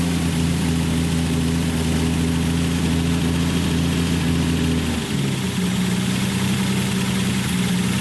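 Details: Datsun 280Z with freshly rebuilt engine, first start after fitting the coil wire, on a jump box, no muffler, lower coolant hose missing so only run briefly: a raw, very loud rumbling idle with a brief dip midway. Missing muffler.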